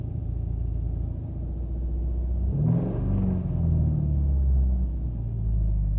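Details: 2007 Subaru Outback 2.5i just after a cold start. It has a low, uneven, lumpy idle with a brief surge midway, so it is idling rough. The check engine light has never stayed on.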